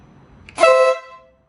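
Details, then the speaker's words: 2016 BMW R1200RS motorcycle at its 60,000-mile standard scope service: a single short, bright two-tone honk about half a second long, clean and strong; horn works normally. "think the horn works."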